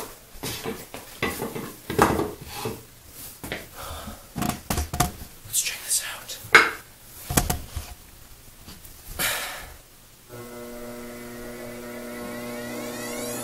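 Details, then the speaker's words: Pottery wheel after a squeak repair: after some clattering, the motor comes up to a smooth, steady hum with no squeak, so the fix worked. "i don't hear the squeak i think that's just the sound of the motor"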